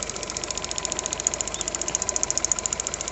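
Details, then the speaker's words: Skoda/Seat/VW/Audi engine, warm at idle: quick, even ticking about three or four a second from the EVAP canister purge valve. This is normal purge valve clicking, not engine knock, and needs no repair. "поэтому вот этот звук щелкающий вас по утрам не должен пугать"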